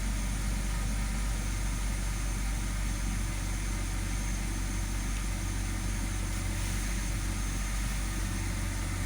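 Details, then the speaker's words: 2006 BMW 530i after replacing the cylinder 5 ignition coil for a P0305 misfire code: steady, even low idle with no stumble or shake, misfire gone, though service lights remain. "i could feel it right away it was misfire i don't feel that shaky there's no more"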